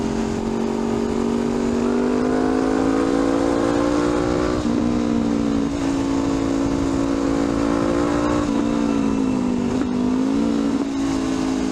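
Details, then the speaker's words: Honda CL500 after ECU remap (fuel delivery retuned for upgraded exhaust and high-flow air filter): revs rise and fall smoothly to higher RPM with quicker throttle response, no pops or bangs when throttle closes; previous deceleration backfire greatly reduced. "Smoother throttle and faster throttle response. So mas mahaba na nga yung RPM ngayon."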